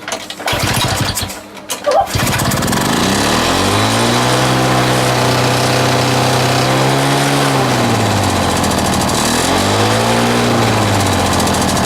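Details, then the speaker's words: Small lawn mower engine reassembled with a homemade big end bearing shell: after rattly start, revs keep swelling and sagging every few seconds; surging, erratic running, cause unconfirmed, with a suspected leak heard as a squeak. "I ain't running hit runs but it ain't it's not right it's all over the place"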